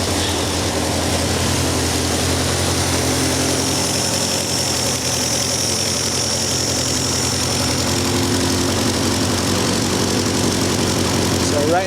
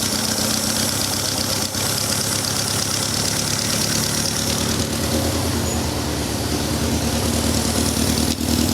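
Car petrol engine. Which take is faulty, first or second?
second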